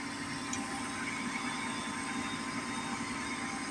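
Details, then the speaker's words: Gas furnace after new igniter installed, restarted: inducer motor spinning up, steady even whir with faint high hum, no knocks or rattles; runs a few seconds before a click and gas. Normal inducer startup. "there we go induction Motors cruising along that'll run for a few seconds then next thing we should hear is a click and then we'll get our gas to our jet will turn"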